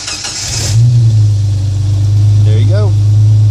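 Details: Jeep Wrangler YJ started with a momentary toggle switch wired to the starter, out of gear: short cranking burst, catches in under a second and settles into a steady, even idle; a clean start.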